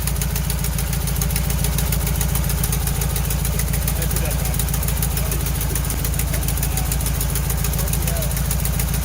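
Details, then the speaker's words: 1968 VW Bus camper, air-cooled engine, just revived after years of storage and a rear engine fire, with new wiring, plugs, points and condenser; carburetor linkage a little gummy: steady, even low putter at smooth idle, no misses or knocks; running amazing. "but i think as you can hear this is running amazing right out of the box resurrected from the fire"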